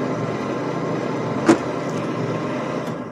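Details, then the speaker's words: Deuce and a half truck cab heater blower in cold Tennessee weather, ignition on, switched from low to high: a steady whirring air rush with one brief click, giving good airflow; normal blower operation. "when you have your ignition on of course the blower motor works you can hear that"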